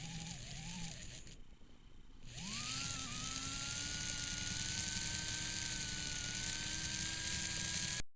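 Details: Tyco Spirit of America Ten-Wheeler model locomotive test run after the squealing front and rear motor bearings were lubricated. The motor spins up to a smooth, steady high hum and holds it with no squeal or chatter; it runs normally.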